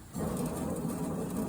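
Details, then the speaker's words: 2012 Toro zero-turn mower with belt off, deck spindle turned by hand: low gritty grinding rasp as it rotates, spindle firm not loose, other spindle silent. Blades damaged; spindle suspected to be failing. "you can hear a little grinding noise now it's pretty it's pretty firm no not loose but if you listen to this one you don't hear that grinding noise"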